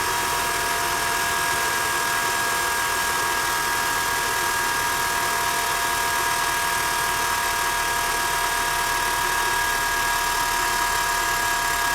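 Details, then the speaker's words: BMW on a cold start: a loud, constant high-pitched drone over idle that stops after about a minute and a half and returns only on the next cold start. Traced to a failing secondary air injection pump, which is then replaced. "it goes off after about a minute and a half and the car is ready to go and you won't hear it again until you have another cold start but the problem is the secondary air injection pump"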